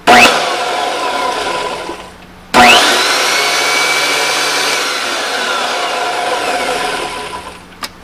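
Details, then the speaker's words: Planer with newly fitted Byrd Shelix cutter head, briefly switched on with covers off after refitting a half-length bent tension spring: motor snaps on, spins up to a steady high whir and coasts down cleanly, no grinding or rattle; works fine. "Everything works good, spins, everything looks nice."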